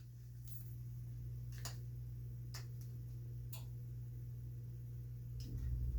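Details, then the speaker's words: Amana 95 IIQ two-stage variable-speed gas furnace in continuous-fan mode, burners off, heard at the unit: smooth steady low blower hum with only a few faint ticks; normal continuous fan operation. "And this is continuous fan. We can demonstrate that now."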